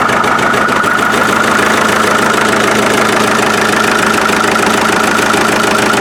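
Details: Restored 1947 Farmall MD diesel tractor, started on the gas side, running outside after its rebuild (injection pump seals, new fuel filters, lines blown out, new water jacket gaskets). Even, brisk knocking of about three per second, no misses or grinding; running smoothly.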